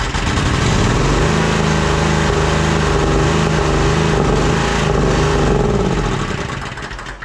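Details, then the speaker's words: Toro Z Master commercial mower engine on carb cleaner sprayed into intake: runs steady several seconds then fades and dies once cleaner burns off; fuel known good, pointing to carburetor fuel-delivery fault. "so it fired up it ran fine until the carburetor cleaner burned off and then it didn't run anymore we know this fuel is good we know that it will run on an auxiliary source so this points us towards a carburetor issue"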